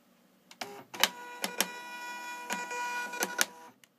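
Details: Label maker feed mechanism making short whirring bursts broken by sharp clicks and clacks; an odd, uneven abnormal mechanism noise of unknown cause.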